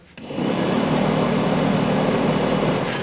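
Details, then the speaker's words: Truck HVAC blower motor jumped directly to battery positive: fan spins up quickly to a smooth, steady whir with even airflow, no ticking or grinding; motor fine, so the fault is a power supply issue. "and I go okay fan motor's fine sounds good runs good so it's a power issue"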